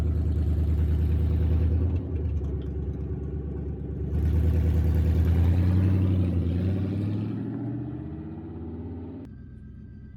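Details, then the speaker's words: 1966 Ford Mustang with swapped 4.6L modular V8, with open downpipes dumping before the transmission crossmember and no exhaust: a booming rumble swelling under acceleration and easing on lift, far too loud to drive legally. "the exhaust is extremely loud i cannot drive this legally with the exhaust like this it turns heads in the wrong way"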